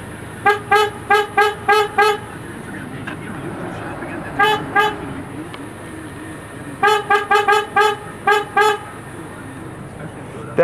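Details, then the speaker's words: Truck horn, with driving and engine warmth under the hood having no effect: several quick, thin, squeaky toots like a clown car rather than a solid blare; abnormal horn tone, cause unknown. "I will show you what the horn sounds like sounds like a clown car"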